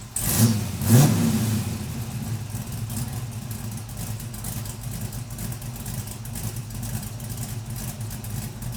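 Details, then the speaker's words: LS-swapped Camaro V8 first start after new fuel tank, finished exhaust, new oil pump and fixed pickup tube: two throttle blips then deep steady idle, no knocks or ticks; sounds good but oil pressure still low. "Alright, I definitely like it, so that's probably gonna stay for now. Alright, it does sound good, but unfortunately it's still kind of low on oil pressure."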